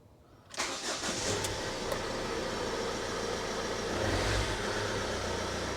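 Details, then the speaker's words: 2007 Ford Transit Connect 1.8 diesel just after an oil and filter change: a brief crank catches at once and settles into an even, steady tick-over with no knocks or misses; the oil pressure light went straight out, a healthy start. "Oil pressure light went straight out, so that's a good sign. It all sounds good."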